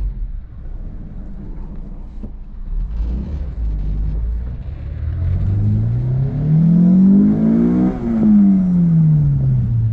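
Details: Honda S2000 after fixing a higher-rpm misfire, with heavy oil found: the engine note climbs cleanly and evenly through the revs with no stumble or popping, then drops smoothly, pulling healthily under load.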